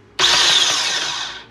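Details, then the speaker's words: AirJet DLE170 paramotor starter: motor whirs freely at high pitch for about a second, drive gear spins but propeller and engine don't turn; one-way bearing slipping. "see basically what had happened was the main drive gear that's attached to the back of the engine still spins with the starter motor"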